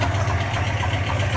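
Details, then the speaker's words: Tired 1976 Dodge Club Cab Adventurer 318 V8, oil pressure gauge now at zero, pig-rich carburetor, oil leaks; even low idle rumble with soft rhythmic puffing in time with firing, no knocking: an exhaust leak. "I hear an exhaust leak. God, [clears throat] it smells terrible, too."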